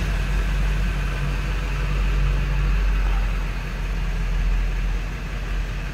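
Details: 1997 Ford F350 XLT crew cab 4x4 with 7.3 L Power Stroke diesel, 95,811 miles, one family owner since new. Started after glow plugs, heard at idle. Steady, even diesel clatter with a deep rumble, no smoke. Normal.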